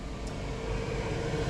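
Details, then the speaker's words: 5 kW diesel heater in a van: steady low fan roar with a faint hum, no combustion build-up, blowing cold air and not firing up; the controller wrongly reads 100° inside; faulty temperature sensor. "And basically, it's just blowing out freezing cold air here. And it doesn't fire up whatsoever."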